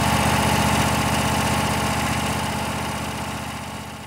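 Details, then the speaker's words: Kohler Courage 26 hp twin-cylinder engine on a Craftsman DGS 6500 riding mower, after carburetor rebuild without replacing the float valve, previously would not start after sitting: even twin-cylinder putter holding steady without stumbling; normal idle. "looks like that carburetors doing the trick even without replacing the float valve"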